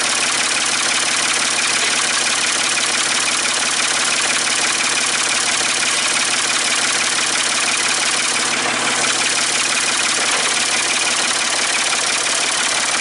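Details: Ford 550 TLB backhoe, 3-cylinder diesel, just reassembled and first started after bleeding fuel at injectors, cool day: steady, even idle with no knocks or misses over hissy background; healthy, only a small injector return-line leak.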